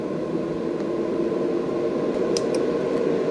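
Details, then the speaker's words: AC Infinity Cloudline S6 inline duct fan in a 4x4 grow tent at top speed, wide open: even, steady rush of air with a constant motor tone and no ticking or grinding; healthy. "that's wide open. And I know you could probably hear it by now."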